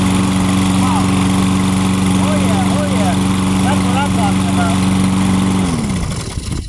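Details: Toro lawn mower with no throttle, engaged by pulling the lever back. A steady, even drone at a constant pitch runs for several seconds before it shuts down smoothly; the engine runs normally.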